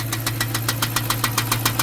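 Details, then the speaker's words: Hemi V8 at idle: sharp, evenly spaced knocks, about seven a second, over a steady hum. Described as a deep bottom-end knock, too heavy for lifters; pushrods were mentioned. Cause is suspected, not confirmed. "don't play around with this man that that sound got too much frequency to it too much hardcore bottom end frequency that's bigger than lifters"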